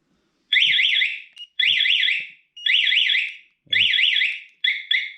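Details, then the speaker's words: Spy 5000 two-way alarm newly installed on a motorcycle, triggered after arming with siren: loud warbling two-tone siren in repeated bursts of about a second, no pre-warning chirps; alarm siren working as intended. "there we go okay so I don't know about you but that was super loud so that was the alarm going off it didn't give the pre-warning I'm not sure when it does that"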